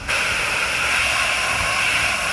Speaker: now what I do is cuz you can hear it hissing